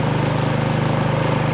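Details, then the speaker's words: Craftsman snowblower just after a cold start, choke turned back one click at a time and throttle moved up. The small single-cylinder engine settles into a smooth, even, steady beat with choke nearly off. Normal warm-up idle. "and we're good from here move your throttle up and just like that she's ready to go"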